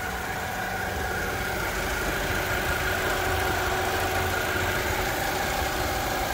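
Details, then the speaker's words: 2008 Ford Mondeo 2.0 Titanium, 145 hp petrol, idling with the bonnet open: even, steady idle with a smooth low hum and no knocks, ticks or misses; no oil leaks seen, normal idle. "ezt a motort, látjátok, tök szépen jár, 2 liter,"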